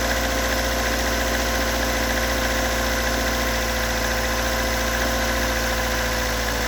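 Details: Toyota AE86 with stock bigport (blue top) 4AGE, unmodified, regularly maintained, about 195,000 km; uneven idle with steady irregular knock as engine warms, recorded at exhaust, cabin and engine bay; source of knock not located.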